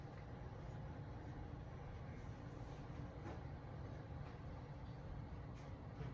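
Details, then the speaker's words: Home AC unit just after replacing its capacitor, 78°F indoors with the thermostat set to 73: a steady, even low rumble of fan and compressor with no clicking or buzzing. It runs normally and now blows colder air. "Okay. So, you can hear my AC running, which is cool, but it was doing that before."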